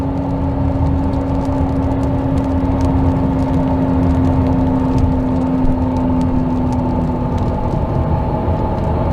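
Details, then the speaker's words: 2022 Hyundai Santa Fe Calligraphy, 8-speed DCT, about 70–80,000 miles: steady mid-pitched electric-sounding whine and scrubbing hum from the footwell at about 20 mph, persisting off throttle and in neutral, louder with speed; transmission failure, repaired under warranty. "And even with the foot off the accelerator, the noise still persists. And the same for when Pick up speed, it gets louder. Almost now to a constant hum."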